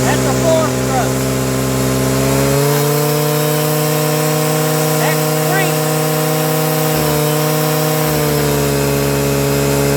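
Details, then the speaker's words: Stihl FS55R trimmer after carburetor swap, high-speed screw turned back out from lean die-off: steady high wide-open wail with faint burble, slight four-stroking at no-load wide open throttle, the correct rich-side high-speed setting. "From that point where it dies off, I'm going to turn it back out just until it wide open throttle with no load on it. Just like this. I want a little bit of a four stroke."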